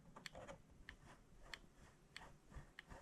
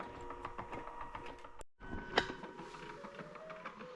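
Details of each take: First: Mr. Christmas carousel at least 20 years old that plays music and lights but won't spin: small mechanism ticks about every 0.6 seconds with light scraping as the drive gears rub and strain the motor, before greasing; cause suspected, not confirmed. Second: Mr. Christmas carousel, at least 20 years old, after repair: it had played music and lights but would not spin while the motor ran; a broken guide and a loose gear were fixed. Tune plays steadily over a faint tick, now turning normally.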